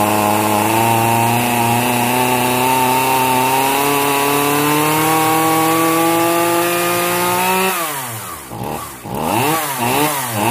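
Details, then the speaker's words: Zenoah 3800 chainsaw, long stored: steady high buzz whose pitch sags and wobbles as revs hunt; carburetor mixture screws opened too far, too much fuel, running rich, fuel spitting seen. "즉 묵어 같은 경우에는 제가 너무 많이 풀어져서 길냥이 너무 많아서 아까 기름 튀는 걸 보셨죠 것 자체가 된겁니다"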